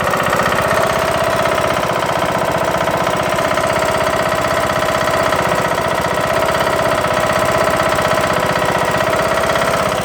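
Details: Craftsman LT2000 mower, Briggs & Stratton engine, just after replacing broken camshaft and timing gear: starts but a loud sharp metallic knock about four times a second at idle; cause unknown.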